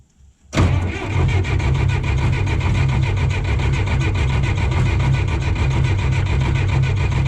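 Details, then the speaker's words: John Deere 1010 crawler dozer diesel, sitting about 12 years, fuel supply opened: steady rhythmic cranking with no catch; cranks but does not start, no fuel reaching the injector tubes, owner suspects the injection pump needs rebuilding. "let's crank it see if we get any fuel coming out here"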